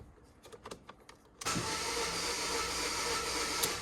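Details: Non-runner project car bought dead with no power, no stored fault codes: steady starter whirring at about two and a half turns a second with no firing; cranks but won't start, compression test planned, cause unconfirmed.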